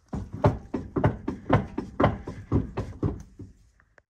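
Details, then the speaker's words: Jeep WJ Grand Cherokee wheel missing a lug nut after lug nuts were loosened and never retightened: heavy clunks about twice a second as the wheel is rocked and shifts on the hub; loose wheel from missing lug nuts. "so a slight overlook on my part but it seems like we had one lug nut and that's what that sound was so i am super thankful this thing did not fall off when we were in the snow"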